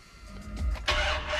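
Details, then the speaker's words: 2003 Dodge Ram 1500 Hemi with the old cheap red and black battery terminals, started after sitting overnight: a sluggish, dragging crank before it fires. Poor terminal connection starves the starter, and the drag is said to be worse when hot. "you can't hear how it sounds the starter just doesn't sound quite right here we go"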